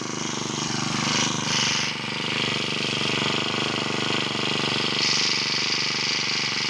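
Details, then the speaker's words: Honda GX35 four-stroke brush cutter that kept stalling in use, after rebuild with genuine parts: high even buzz, picks up smoothly when revved with no misfire or rattle, sounding like new from the factory. "เรียบร้อยครับทสอบเสร็จเรียบร้อยมาฟังเสียงกันนะครับว่าเหมือนตอนออกมาจากโรงงาน"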